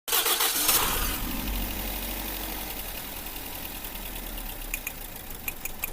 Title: Car engine current misfire 🔥🔥 #automobile #misfire #electriccar #mechanic